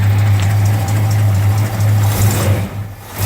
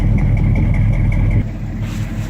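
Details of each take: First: 1969 Dodge Charger 500 Daytona with its original L-code 440 V8, on a cold day: deep, even idle with a steady low burble and no knocks or ticks; normal idle. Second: 1969 Dodge Charger 500 Daytona with original numbers-matching V8: deep idle with a faint, quick ticking puff on top from an exhaust leak.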